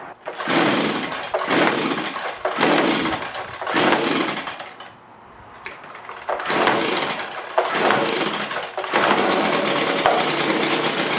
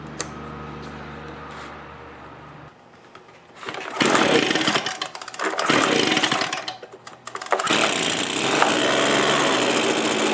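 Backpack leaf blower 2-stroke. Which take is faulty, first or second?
first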